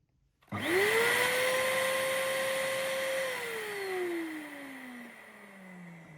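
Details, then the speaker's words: Numatic Henry HVR200 vacuum cleaner after repairing a broken armature winding (no motor continuity) with solder: motor spins straight up to a clean, steady high whine, holds it, then winds down smoothly; no scraping or rattle, healthy. "So there you go. It's working. And that's a great success."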